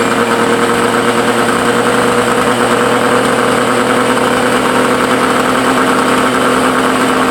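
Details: Suzuki Cervo SS20 small engine at idle: sharp, raspy puffing hiss riding on every firing pulse. Exhaust leak.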